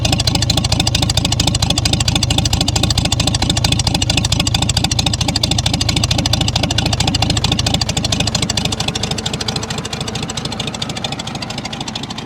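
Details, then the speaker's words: 1937 Oliver Hart Parr 70 tractor at low idle, microphone near the exhaust pipe, oil pressure about 23-25 psi: crisp, even exhaust pops that never miss a beat. Earlier it was just cold-blooded; now running clean and healthy. "Sounds good. Still got about 23 to 25 psi in oil pressure. Not bad. Nice low idle for you."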